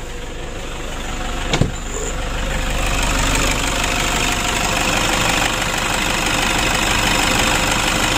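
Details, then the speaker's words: Toyota Innova diesel with leaking turbo, after repair for hard starting: short cranking burst then steady, even diesel clatter at idle with no misses. Normal diesel idle. "kita coba lagi kita hidupkan untuk mesinnya sudah hidup"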